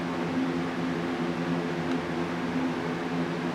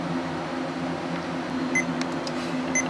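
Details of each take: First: Computer booting perfectly fine after the old drive was put back in place of a new drive that failed to work; steady fan whir and faint spinning-drive hum, no clicks or grinding. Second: Laptop giving short high beeps about a second apart over a soft fan hiss and not posting at all after a hard drive change; it was also blue screening with an unmountable boot volume, and the owner suspects a bad motherboard.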